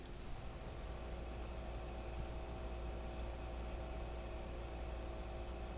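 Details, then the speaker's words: XSPC X2O 750 V2 bay-res pump/reservoir combo, microphone by pump, fans off: faint steady low hum with soft liquid trickle, maybe flow meter ticking, no rattle or grinding; normal quiet pump running. "here's the sound of the uh pump with uh without any fans or any other uh noise other than maybe the flow meter you might hear the flow meter ticking in the background"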